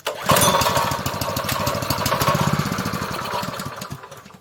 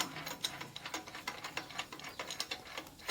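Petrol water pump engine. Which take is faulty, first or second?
second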